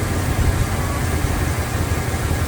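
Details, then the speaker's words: 1971 Cadillac Coupe Deville, automatic: warmed up, choke off and dropped off high idle, settling into a deep, steady idle with no misses or ticks; normal warm idle. "Off the high idle, warmed up, chokes"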